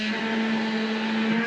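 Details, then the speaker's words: Inline fuel pump on a turbocharged stock Vortec 350 small-block Chevy, mounted on the rail under the driver's seat, pulling fuel through the original in-tank pump; steady, strained mid-pitched whine with slight wobble; owner suspects cavitation, planned fix is a new half-inch suction tube in the tank. "so this inline fuel pump is trying to pull fuel through the original fuel pump and pump it so it's it's struggling"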